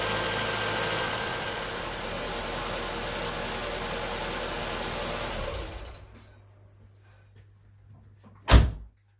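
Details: Mazda 121 1.3 Endura-E after oil change and spark plug service, started with fresh oil: fires and settles into a steady, even idle with no knocks or misses before shutoff; normal start and idle.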